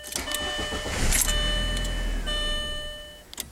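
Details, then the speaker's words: 1999 VW Passat 1.8L turbo, no throttle applied: short crank, catches and runs about a second, then fades and stalls. Start-then-stall fault later traced to the mass air flow sensor; the ignition control module was also replaced. "wants to start and run for a second and then it just dies sounds good for like 1 Mississippi 2 Mississippi Wham"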